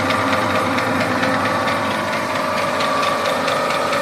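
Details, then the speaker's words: Industrial MIM 300 meat grinder, 380 V, 1440 W, gearbox oil replaced: steady even mechanical hum with faint regular drive ticking, no grinding or knocking; runs quietly and normally. "Ось вона працює ця м'ясорубка працює тихо"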